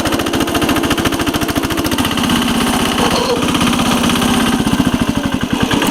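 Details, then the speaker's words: 1983 Case 446 repowered with a Lombardini 6LD 435 single-cylinder diesel, high range at full throttle up a steep grade: steady, even thump about three and a half beats a second, pulling smoothly; normal running. "It's got a lot of low end torque now. I'm in high range, and high range is pretty fast in this tractor, full throttle."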